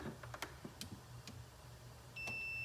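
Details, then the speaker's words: Maytag refrigerator not cooling, evaporator frosted: multimeter probe clicks then steady half-second continuity beep across the disconnected defrost heater; heater good, so the defrost thermostat is bad. "Hear the beep? Basically, your defrost thermostat is good. I'm sorry, your defrost heater is good."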